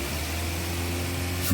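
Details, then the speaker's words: Daihatsu Terios / Toyota Rush with hesitation and low power, no check-engine light but stored fault code, after ECU reset by pulling the EFI fuse about 5 seconds: steady idle, clean throttle blip with no stumble; normal throttle response. "lalu kita coba hentak di gasnya ternyata gasnya bisa langsung respon"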